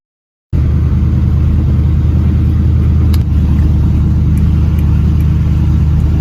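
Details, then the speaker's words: Volvo 940, crank after battery charge: engine catches at once and settles into a steady, deep, even rumble with no misses or knocks; sounds healthy. "Let's crank it. Oh, it starts. It just started. It just started. That's one car that runs. It runs. It runs."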